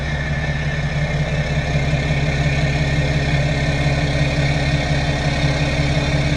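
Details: BMW F10 535d diesel just after a fuel filter replacement, fuel system primed by running the pump until air purged: smooth, even idle with a steady low rumble and regular beat, no misfire, stumble or hunting; running normally.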